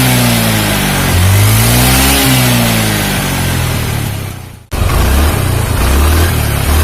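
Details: Carbureted Honda Beat scooter after replacing the snapped CVT drive belt (V-belt kit) and cleaning parts; engine runs smooth. Revs up and down cleanly, drops to idle, pulls smoothly again, no belt-drive rattle or slap; normal running.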